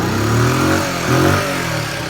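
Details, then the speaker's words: 1974 Honda C50 single-cylinder, after 5 months unstarted, cold: engine catches and revs up twice then settles, rising and falling cleanly with throttle; normal running. "Great, isn't she? Honestly, that's after 5 months."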